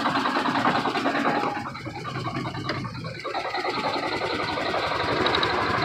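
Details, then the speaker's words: Cold Detroit Diesel Series 60 11.1 in a Freightliner FLD120 with bad injectors, no throttle: rough, uneven idle with a dull knock, running on nearly only 2 cylinders. Owner suspects cold, sticking valves. "So it's only running off of damn near only 2 cylinders right about now."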